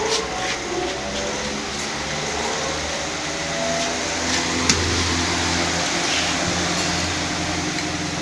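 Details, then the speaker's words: Pedestal fan after repair, reassembled and test-run while the wires are wiggled: an even, unbroken motor hum and steady air rush that never cuts out; the fan runs normally. "जैसा कि दोस्तों आप देख रहे हैं पंखा बिल्कुल सही हो चुका है।"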